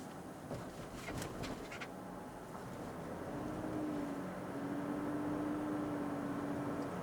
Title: Lexus Rx450h squeaking noise from rear wheels